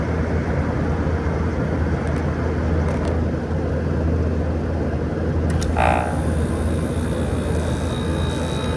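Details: 2012 Frigidaire 18,500 BTU 220V R-410A window/wall AC, nearly 14 years old, outdoors at about 88°F: steady even low hum, no clatter, knocking or rising whine; compressor running smoothly and blowing cold, though fan bearings noted as starting to go.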